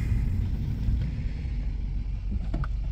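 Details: Subaru with a customer complaint of very low idle, stalling and an oil-pressure light at stops, now after diagnosis: deep, even rumble at a stop that holds steady with no dips or hunting, a normal idle.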